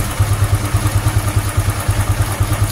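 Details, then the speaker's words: Honda Supra X 125 FI after fixing the cam chain tensioner noise that followed fitting racing valve springs: soft even putter at idle with no ticking or rattle, very smooth; repaired. "Mantap, Teman-teman. Halus banget suaranya. Gila."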